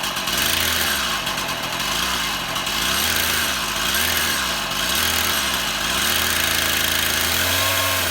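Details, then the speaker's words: Stihl MS171 chainsaw, a cover off for priming, run outside: two-stroke buzz surges and sags about once a second, only runs on choke; fuel restriction, engine starving for fuel from a blocked carburetor fuel screen. "Uh, it only wants to run when I'm operating the choke. We've got uh some kind of a fuel restriction."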